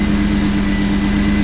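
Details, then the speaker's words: 1991 Pontiac Firebird Trans Am after a water pump replacement for overheating and a new battery: deep, even idle with a steady drone and a faint belt whine, no knocks or misses; normal idle, battery holding charge. "The new battery's in the car. You could hear it running in the background now."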